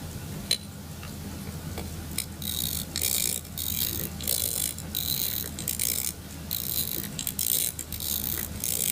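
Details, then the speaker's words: Pocket watch being reassembled, dial set, spring wound: light ratcheting winding clicks with loud fine escapement ticking underneath, a sign the watch is running perfectly; normal. "if you're listening to watch you'll hear it as it gets a good wine on the spring you'll hear the escapement ticking very very loudly for watch and that's a good sign that the watch is running perfectly"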